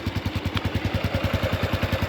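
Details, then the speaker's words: Honda Wave 110i after engine rebuild, heard up close at idle: quiet engine with steady puffing chuff from a slight exhaust leak at the pipe, considered normal for an old bike. "เงียบนะมีเสียงท่อเอ่อท่อมันรั่วนิดหน่อยแค่นั้นเอง"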